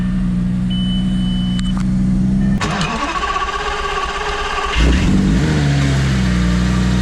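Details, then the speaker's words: Lamborghini Gallardo 5.0, first start after replacing the spark plugs and coils, with the covers still off: it cranks, catches cleanly, blips and settles into a smooth, even idle with no misfire. Normal start and idle. "we go ahead and fire it up make sure she runs and everything's connected as it should be before I put everything else back together"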